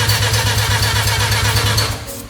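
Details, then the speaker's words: Mazda RX-7 with engine just reinstalled: even, fast cranking pulses that fade without the engine catching; cranks but won't fire, probably no spark suspected, cause not confirmed. "don't hold the throttle uh it doesn't seem like they're spark I would say probably no spark dude"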